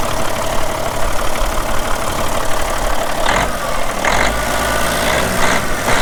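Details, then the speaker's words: Caterpillar B-model diesel in a Peterbilt 378, about 433,000–435,000 total miles, sits most of the time, oil-pressure override button, minor front structure leak: steady low idle rumble with even clatter, some surrounding clanking, no misses. Normal idle. "And if anybody be interested in a good running B model cat, I'll go ahead and fire it up well you can listen to it. It's got an override button for oil pressure. Nothing wrong with this engine, nothing."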